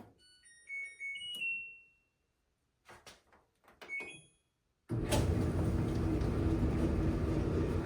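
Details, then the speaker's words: LG dryer after rear high-limit thermostat (thermal fuse) replacement: control beeps, then a steady, even drum rumble and blower whoosh with no knocks or scraping; running smooth and heating properly. "So it sounds like it's running smooth."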